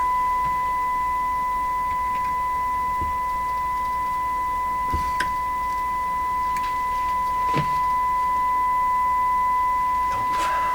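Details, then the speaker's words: Westinghouse 981X shortwave receiver during IF alignment, with a moderate 460 kHz signal modulated at 1000 Hz fed in after new capacitors were fitted: a steady clean 1 kHz tone with faint adjustment clicks, the test tone received cleanly. "we want it to be modulated at modulated 1000 hertz so that's what we should hear come out of the radio uh yeah we should actually hear it here especially with my new capacitors up here by the way i checked that resistor it was okay"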